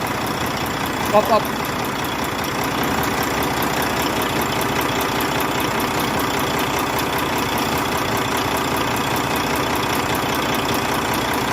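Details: Volvo truck diesel (D13) idling; quick, steady light ticking over the rumble, sounding like loose valve lash in the top end.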